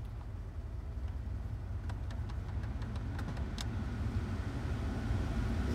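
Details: 2013 Ford F-150 3.5L with automatic climate control, after checking the blower resistor for a blower that stayed on when switched off: even, steady fan rush on high, no rattle, squeal or cutout; blower running normally.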